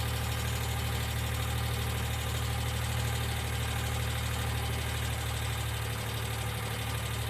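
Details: 1995 Geo Metro at idle: light, regular ticking three to four times a second over a steady rumble, believed to be lifter tick. B-12 cleaner is being added to the oil before an oil change; the cause is not confirmed.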